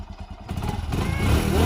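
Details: Roadside motorcycle that would not start: after two wires were joined and the petrol was drained, it catches with uneven putts, then settles into a steady single-cylinder thump; starts and runs fine.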